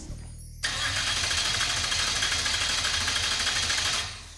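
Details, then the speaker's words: Mid-engine Mazda minitruck, first start attempt: about three seconds of steady fast cranking that never catches; the computer shows no fuel pressure because the fuel pump isn't running. Crank, no start. "Does it show fuel pressure? It's telling me we don't have fuel pressure. Well, yeah, the pump's not running."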